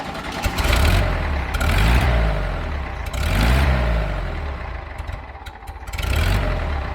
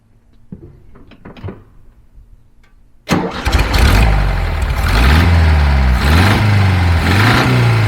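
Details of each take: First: 1975 VW Fusca with an electronic ignition module and the timing just adjusted using the module's LED: the air-cooled engine fires and idles steadily with a few smooth revs, no knocks or misses. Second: 1975 VW Beetle (Fusca) engine run briefly without the cooling fan: after start, a steady knock about four per second rides over the idle and rises with revs; internal wear suspected.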